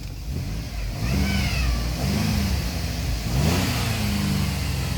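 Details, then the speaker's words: Freshly replaced GM 3.6 engine that had trouble starting, burning off oil: uneven idle, revs hunting up and down with wavering tone and no steady beat; rough idle of unknown cause, starter or starter relay suspected for starting issue. "But I was having some troubles with this engine. Wanting to start and it's running rough."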